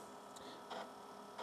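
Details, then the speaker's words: TRS-80 Model 4P on bench test, TRS-DOS disk inserted and reset: faint bursts of quick floppy seek clicking about every 0.7 s over a quiet hum as it loads without issue; normal disk loading. "there it goes it is actually loading up without any issue"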